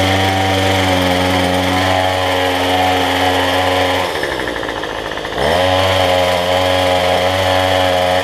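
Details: Cheap two-stroke weedeater number 3 after a new $6 replacement carb with the correct gasket orientation and fuel lines fitted: high, even buzz sags about a second, then picks cleanly back up; running healthy.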